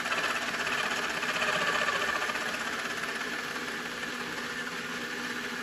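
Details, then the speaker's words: RC car with wheels spinning, motor deliberately pushed in too hard: harsh, rasping grind over a high motor whine; the pinion is meshed too tightly into the spur gear. "now i'm going to shove that motor in so the pinion gear goes into the spur and makes a terrible sound and i'm actually going to do it way too hard so that you can for sure hear it"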